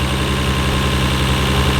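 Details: 1993 Nissan Skyline R32 GT-R idling in neutral, with HKS intakes and turbos reportedly N1. Steady, even low idle with no knocks, misses or rattles; a little smoke is seen from the bay. The owner calls it good-sounding and always reliable. Normal idle.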